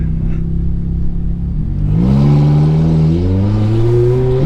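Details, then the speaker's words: Ferrari F430 F1 after the PIS (point of initial slip) clutch adjustment. On a slow start the revs barely reach 2,000 rpm before the clutch bites in a firm, clean take-up; no over-rev on upshift. Normal engagement. "we want to see it get kind of a nice firm yeah a nice firm shift okay oh yeah even on a slow start right there it barely got to 2,000 RPMs yeah this feels a lot lot better"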